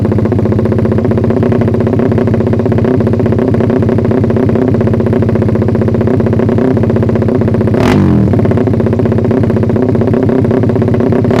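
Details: Suzuki Satria FU single after ignition timing was advanced slightly via the pulser, revved: brief flare near the top then drops back, revs held back up high. Owner suspects ignition or carb setting needs retuning.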